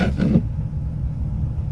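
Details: Car engine idling without the gas pedal pressed, after a noise suppressor is connected with interconnect cables to cure alternator whine in the speakers: only a low, steady engine rumble, with no hum or whine over it.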